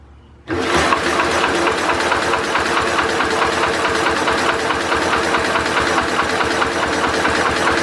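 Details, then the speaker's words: Simplicity Landlord 2010 tractor engine after timing fix and flywheel key replacement; starter cranks steadily at about four turns a second but won't start. No spark, traced to a stripped cable that was reconnected together. "I worry we are getting spark after I don't think we have spark now"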